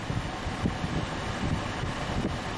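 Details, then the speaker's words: 2006 Honda Odyssey 3.5L with AC complaint (room-temperature vent air, compressor clutch not engaging): cabin blower at increased speed gives a steady, even rush of air with low hum, no rattles or squeals; AC now cold after wiggling the suspect relay. "Alright, so we are inside the vehicle. Let's increase the vent speed. Ooh, this definitely feels good."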